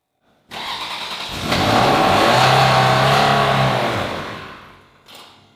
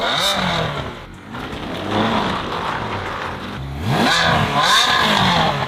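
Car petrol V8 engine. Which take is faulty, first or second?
first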